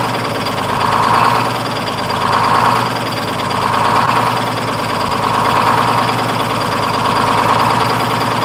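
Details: 1948 GMC Silversides PD3751 Greyhound bus, Detroit 6-71 two-stroke diesel after in-frame rebuild, priming the head with fuel and resetting the buffer screw for high idle: steady diesel clatter with a slow, gentle rise and fall, smooth and even; normal idle.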